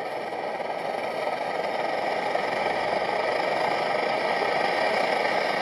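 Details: MSR XGK multi-fuel stove, over 20 years old, burning at full output after basic service; steady, even roar that builds slightly then holds without sputtering, burning properly.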